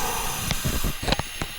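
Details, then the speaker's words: Air compressor pressure regulator, which has a rubber diaphragm inside, hissing: a steady airy hiss under a few handling clicks as air leaks constantly from the regulator. "There's a rubber diaphragm and some cup thing in there. But, uh, yeah, it's about time I fix this. This is annoying. You can hear the pissing on my videos and stuff."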